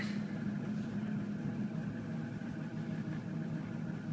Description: This is my 2003 Ford F250 with the 6.0L diesel. It is about 3 degrees out and the wind chill is about -15. Started right up like a champ.